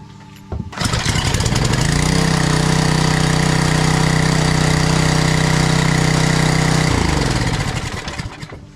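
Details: Small 4-cycle engine on a pressure washer that the customer said wouldn't start, run after servicing. It fires after a brief pull, settles into a steady even hum, then winds down; starts and runs normally.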